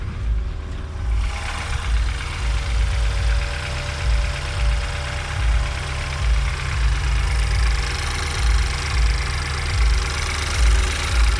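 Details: BMW N20 cold start after new oil pump and timing; cold idle with low uneven pulsing and faint steady buzz, owner suspects oil pump or balance shaft, unconfirmed.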